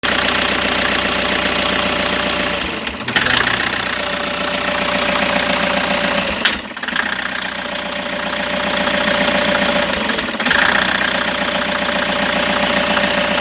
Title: part 1 diagnos..toyota hi ace engine misfire problem abangan ang part 2 video